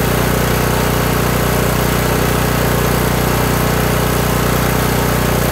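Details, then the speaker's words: Kohler Courage 18 single-cylinder on a lawn tractor after adjusting the low idle adjustment screw (non-adjustable jet carb): steady, even idle, no surging, governor linkage rod no longer rocking; long-term fix unconfirmed. "all right so there we go i just continued to turn that screw out until the engine started sounding better"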